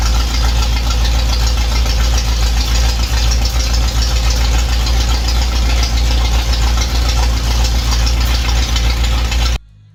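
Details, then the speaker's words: V8 idling steadily after an intake leak fix, with the intake resealed using silicone on the block and intake sides, then torqued. Deep even rumble with no ticking or intake hiss, and no new leaks so far. Normal idle. "have no new leaks so I'm gonna let it cool down fire it up again"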